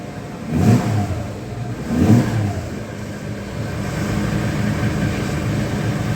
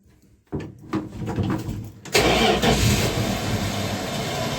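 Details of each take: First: 1976 Dodge D100 slant six just fitted with new exhaust, started in neutral: steady idle with a few throttle blips, even exhaust note, no ticking exhaust leaks; sounds healthy, though fuel is seen pouring from the carburetor. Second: Hard starting on a 1976 Dodge D100 slant six after new exhaust work, shifter in neutral: slow, uneven cranking for a few seconds, then it sputters and catches roughly; carburetor had gone dry, later seen pouring fuel.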